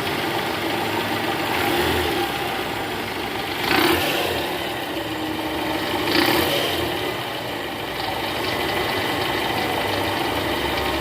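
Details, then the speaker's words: 2012 Toyota Camry 2.5 V, 2AR 2500cc engine, over 100,000 km, cold start idling in R: "kretek" ticking rattle heard clearly at the oil pan with a stethoscope, gone once warm. Indicates a loose balancer shaft, to be replaced. "gas nah ini guys ada bunyi Kretek tek tek tek tek tek ini posisi R tadi saya sempat dengerin pakai SpongeBob di area panci oli itu jelas banget suaranya Kretek tek tek tek dan ini indikasinya balancernya oblak guys"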